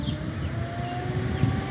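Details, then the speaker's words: Hyundai Sonata overheating slightly because the fan assembly was not turning; no leak and no water pump or thermostat fault. In the test the fan runs with a steady whoosh and no rattle or grinding, first on low, then high speed. "there it goes as you can see it works so let's go ahead and switch this over to the high speed which is just going to be the one right next to it"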